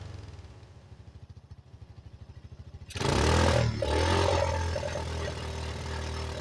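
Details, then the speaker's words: 1985 Yamaha Moto 4 on its old carburetor, warmed up and on choke: slow, uneven loping idle with dips, then a sudden rev-up and rough settling, trying to cut out; old carburetor blamed, to be replaced. "It might sound like it's running right now, but it's not. It's moody. See, it's trying to cut out and everything."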